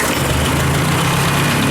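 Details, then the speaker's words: Ford 600 tractor after hydraulic pump swap, running warm with fan belt off so water pump unhooked: steady, even low idle rumble, much quieter; old hydraulic pump noise gone, some lifter noise still heard. "you can see, it's a lot quieter."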